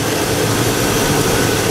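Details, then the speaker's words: Vortec engine in a used vehicle idling: steady, even idle with a smooth low drone and no knocks, ticks or hunting; sounds decent and healthy. "But yeah, you know, sounds decent. Sounds good, and"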